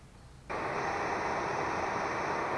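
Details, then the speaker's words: VW T3/Vanagon heater blower fan, later water-cooled blower unit, on speed 2 after lubricating the motor shaft bush with chain lube. It had squeaked before. Now a steady, powerful, even rush of air with no squeak. "you can hear there's no squeak and that's on band level number two doesn't it seem nice it's very powerful"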